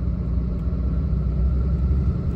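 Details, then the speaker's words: Diesel truck, G56 gearbox with Valair HD organic single-disk clutch, frosty day, second gear: slight noise lugging, then at about 1300 rpm no rollover noise; deep steady rumble, drivetrain quiet and healthy. "second gear now little bit of noise then once you idle up to about 1300 RPM no rollover noise at"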